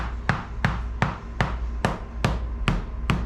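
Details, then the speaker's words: 1985 Hobie Cat 16 hull, quarter tap test: eight sharp coin taps on fiberglass, high and solid at first, turning deeper and hollower over a delaminated void, then higher again beyond it; void to be drilled and epoxy-filled. "So, you'll hear it sounds pretty high-pitched and uh solid. And as we move forward, you're going to hear it start to get deeper and more hollow"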